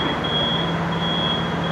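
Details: Komatsu FG25T forklift that would not drive forward or reverse, after replacing the faulty transmission solenoid valve: engine pulling steadily in reverse with a high, steady reverse alarm tone over it; reverse drive working normally.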